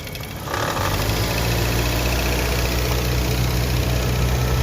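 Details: Car engine revved low and slowly before repair: coarse rattling drone over the engine, a strange noise reported by the customer, traced to a worn air-conditioning compressor.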